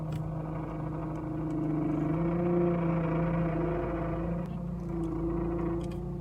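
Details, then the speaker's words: Car running with steady whine that rises and holds as the steering wheel is turned left to right; power steering pump whine, possibly from low fluid, a damaged pump or air entering the circuit; suspected. "también se puede presentar un sonido en la dirección del carro usualmente cuando mueves el volante de izquierda a"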